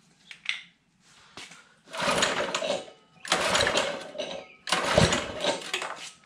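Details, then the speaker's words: Baja Warrior mini bike single-cylinder, on first start attempts: three rough cranking bursts that never catch, with a sharp pop on the last, as fire comes out; the owner suspects a timing-related problem, possibly loose valve lash. "so what does it mean when fire comes out of that and then a one shot comes out of that side I don't know I need to figure that out but uh it does something so it least me it's pretty obvious that it's a timing related so it could be like a loose valve flash issue"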